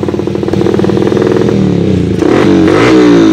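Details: Yamaha Vixion single converted from failed fuel injection to carburettor with rewired wiring, after conversion: quick even pulses climbing smoothly as the throttle opens, no stutter or misfire; runs cleanly.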